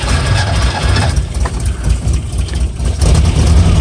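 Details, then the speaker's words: Vehicle started with fuel pump switch and a little gas: low uneven chugging for a few seconds, firming up around three seconds and running on; normal start. "Normally I can give it a pump so it doesn't take that long to start. You can hear it, we're running."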